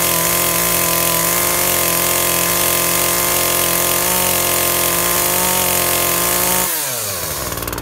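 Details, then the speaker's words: Makita top handle climbing chainsaw after ignition coil replacement, cutting wood: steady high even buzz through the cut, easing off cleanly, pulling strongly and running sweet; little chain oil, air filter missing. "ah ah seems to be running sweet can't get much chain oil though"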